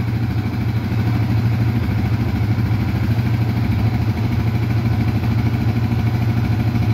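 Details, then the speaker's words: Yamaha Vixion fuel-injected motorcycle after repair; the magneto coil and a connector socket were replaced. Now idles: even, low thudding beat with no misses, stumbles or hunting. Smooth now where it was rough before. "Udah ada suaranya lumayan halus ya menurut saya suaranya lumayan halus lah ini sebelumnya kasar kempracak"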